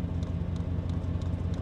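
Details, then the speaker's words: Diesel heater in a Jeep Commander camper priming at startup with the truck idling: crisp even fuel-pump ticks about three a second, speeding up slightly, over a deep engine idle and muffler note; normal priming. "I don't know if you can hear that tick tick tick tick tick noise or you can just hear the badass Muffler of the Jeep Commander you can hear the ticking is a little bit it's going a little faster"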